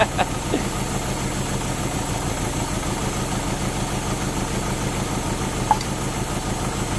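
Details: Euro-spec Mercedes 190E 2.0 with 5-speed manual, being started for the farewell: engine catches and idles lumpy and uneven, with stumbles breaking the rhythm. It is misfiring on at least one cylinder; cause suspected, not confirmed.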